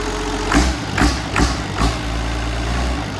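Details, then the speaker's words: Old Perkins 6354 six-cylinder diesel that stood outside for 25 years, run briefly with no coolant and its water pump not yet fitted. Slow, even chug with regular pulses and no knocks or rattles; it sounds all right. "Have a listen again. See what sound it makes. Sounds all right."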